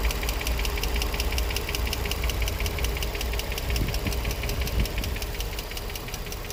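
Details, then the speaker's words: Infiniti G35, 109k miles, no check engine light, new cats, regular oil changes: fast, even ticking at idle, two to three taps a second, louder on one side; engine ticking, owner hears lifters or spark plugs suggested, cause unknown. "This side is not making any noise. This side is. No check engine light on. Let's see. Oh man, oh man. What the hell is that noise?"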